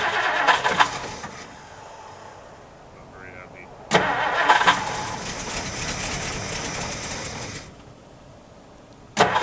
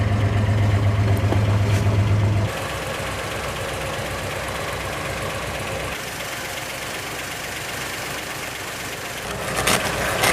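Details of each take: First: 1960 Plymouth Fury unused for years, cold start on stale gas with some fresh gas added: several long cranking bursts catch briefly and die before it fires. Blamed on old gas, a non-working accelerator pump and a misset choke. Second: 1960 Plymouth Fury old V8, just cold-started after years unused on stale gas, with the accelerator pump not working and the choke misset: a brief louder start, then a steady, even idle with no misses or stumbles. Running well.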